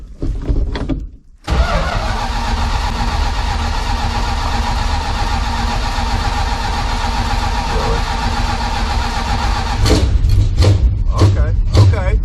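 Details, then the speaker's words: 1972 Plymouth Fury III after ignition system work for a no-spark no-start, plugs possibly fouled from cranking: long steady cranking drone, then catches with uneven bursts settling into a running rumble; engine now starts and runs. "well hell boys we gotta run here again look at that thank God man that had me worried"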